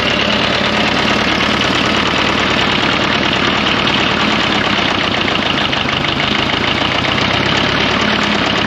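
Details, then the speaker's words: 1954 Fordson Major diesel tractor, first start after fresh oil and diesel: harsh, dense, constant metallic knocking throughout the run; owner wonders if any bearings are left or the engaged starter caused it; unconfirmed. "no it lives it makes bad noises though"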